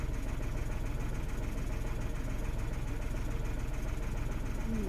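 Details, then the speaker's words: 2016 Renault Twingo 1.0, engine and spanner lights on, codes DTC013513 and DTC11501C, components disconnected during diagnosis: low idle thrum pulsing about three a second, wavering unevenly; rough idle, no misfires logged, no stored codes. "I have all of the disconnected so the car is running a little bit rough at the moment"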